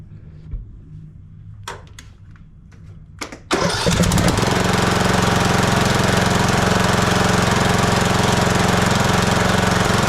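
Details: Husqvarna TYH18542 riding mower, Briggs & Stratton 18.5 hp Intek single-cylinder, during annual service: a few clicks, then the engine catches near 3.5 seconds and settles into a steady, even run; healthy.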